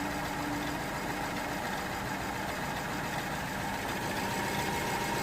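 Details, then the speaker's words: 2009 BMW 318i E90 petrol, idling rough and shaking with ragged uneven hum; cylinder 3 misfire, engine light flashing, petrol smell at exhaust, parts already fitted without fixing it. "as you can see the car is running really rough and uh you can definitely see the car shaking"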